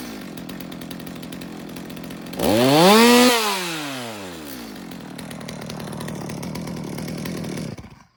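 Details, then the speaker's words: Stihl MS200T chainsaw, warm, no chain, after cracked fuel line replacement: idles, then on trigger pitch climbs briefly and falls back to idle, a bog; low jet/carb tuning suspected, not confirmed. "You know, the saw is warm, it doesn't have a chain on it, but it sounds like the low jet might need a little work because it's got a little bit of a bog when I hit the trigger."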